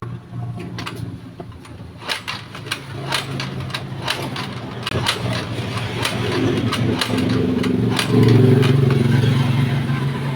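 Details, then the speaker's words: Scooter (GY6-type, like a Mio) repeatedly kick-started with a freshly charged battery: clunks turn the engine over but it never catches; the battery is not the cause and only went flat from failed starts, with weak spark suspected. "So ibig sabihin hindi po yung battery yung problema nito kung bakit ayaw mag-start no ah nalobat na lang po yung battery dahil nga po Hindi nag-start no"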